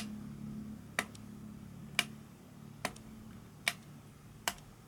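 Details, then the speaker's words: Egg Shell Mini Racer toy RC car, first use, after adjusting the steering trim dial: sharp, dry clicks about once a second over a faint motor hum with no steering whir; the servo clicks without turning. "doesn't want to turn what is this right all right so h I can hear the servo clicking"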